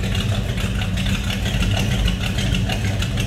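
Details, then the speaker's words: 1973 Chevrolet Nova Custom Hatchback with numbers-matching 350 V8 and Holley carb, heard from the rear after coming off high idle: deep, steady, even exhaust rumble with no misses or ticks, a healthy smooth idle. "Slip around to the back. Hear a little rumble out of that 350."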